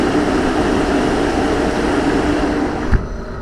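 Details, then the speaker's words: Air handler with a newly installed blower motor, belt tightened, at first start-up: a steady, even hum with a constant low tone and no knocking, squeal or rubbing. The blower runs smoothly. "But anyway, my air handler is up and running."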